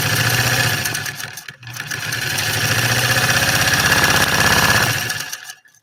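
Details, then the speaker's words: 3/4-size Singer 128 vintage sewing machine after motor reinstalled: fast steady mechanical chatter about three beats a second carries on for seconds after pedal released, then winds down; runs on, cause not confirmed. "see I had my foot off and it kept going it kept going and going and going like the Energizer rabbit"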